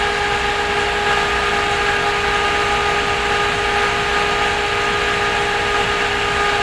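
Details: Thermolab Baram cooler with NMB fan at high speed, 3600 rpm, on Q9550 overclocked to 3.4 GHz: loud, even rushing whoosh with steady whistling tone, no wavering or rattle; fan running flat out, loud but normal.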